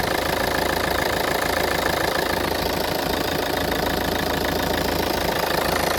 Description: mucho ruido en el motor del coche más templa todo el chasis del coche